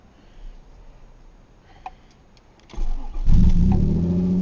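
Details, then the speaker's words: 1997 Ford Probe GT 2.5 V6, 5-speed manual, 187,000 miles, cold start after battery was nearly dead: brief crank, catches cleanly, steady even idle; good oil pressure, good charge, no smoke; normal cold start. "ah sweet good oil pressure good charge"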